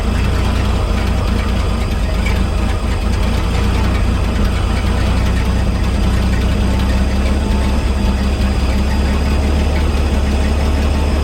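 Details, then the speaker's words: 1961 GMC 5000 with 351 V6 just converted to a Holley carburetor, not yet tuned: steady deep rumble with an even beat, idling smooth with no stumbles. "Hear the difference? Smooth right out."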